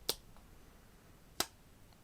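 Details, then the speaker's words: Fuel pump relay from a 2001 MINI Cooper R50, bench-tested at 12 V with a microphone next to it: three sharp crisp clicks of the electromagnetic coil switching the contacts, which is normal operation. "so that's the electromagnetic coil working"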